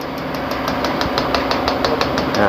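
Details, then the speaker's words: Toyota Tiger D4D 2.5 diesel (1KD/2KD) injector on a pressure test bench: crisp, rapid, even ticking about six per second with a fine spray; normal injector chatter, healthy. "ฉีดเสียงเฉพาะมากนะตั้ตั๊บๆๆๆเลยฉีดเป็นฝอยนะครับผม"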